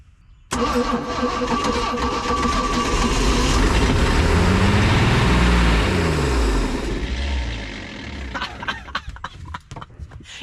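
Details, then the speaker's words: 1991 Four Winns OMC 4.3L boat engine with temporary hand-crimped 7 mm plug wires, now getting spark; it catches straight away and runs evenly, rising then settling. It starts and runs, and the oil shows no excessive water. "It works. It [Music] works. It works. It ran. Okay, this is fixable."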